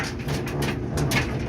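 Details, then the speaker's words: Samsung dryer DV45H7000EWA2, 240 V: deep uneven rumble and warbling low drone while running, from the idler pulley and drum rollers, before replacing them. "so here's the Samsung dryer got it on and you can hear that's making this weird rumbling noise and it's not supposed to be doing that"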